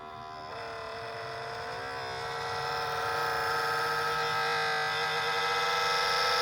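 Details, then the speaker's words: Small cooling fan inside a heat press at switch-on: loud buzzing whir that climbs in pitch as it spins up and eventually goes away; owner thinks the fan bearing is going bad and plans to replace the fan. "I hope that noise came through, but it's loud and it does go away eventually. And it's a fan, and I think the bearing in the fan's going bad."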